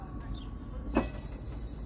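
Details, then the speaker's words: John Deere S160 lawn tractor with three-blade deck after fixing blades jammed against the deck: steady low rumble, one single click, no repeating tap; blades spin freely. "now that these blades are all spinning fine"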